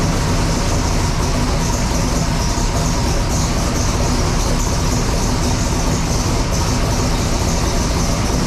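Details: Sick Seconds 1.0 copper Camaro drag car, first fire-up after being freshened up and reassembled: loud, choppy, lumpy note with steady heavy low-end pulse, running cleanly; normal running.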